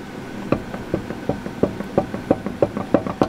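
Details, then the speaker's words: 2005 Chevy Silverado passenger-side front wheel rocked by hand: sharp, fairly even clunks about three a second over a quiet background; the wheel bearing has excessive play, is nearly completely broken and is to be replaced. "the wheel bearing is terrible absolutely terrible pretty much completely broken surprisingly a hung on"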